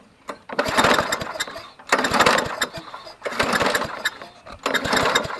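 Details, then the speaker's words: Trash-found Toro GTS push mower, long unused, new plug, starting fluid added: four rasping pull-cord cranks about 1.4 s apart, never fires; crank no start, no spark. "well this one probably needs a little bit more than a spark plug but while we're here we'll go ahead and we'll check for spark"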